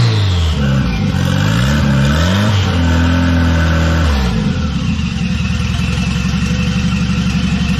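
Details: $200 wagon, first start after fitting a new GMC Typhoon/Syclone turbo and priming the oil: clean blips, then a steady, even idle with no knocks or rattles. Healthy, though the factory hard oil feed line plug leaks.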